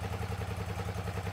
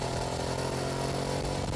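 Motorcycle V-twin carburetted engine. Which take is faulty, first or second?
first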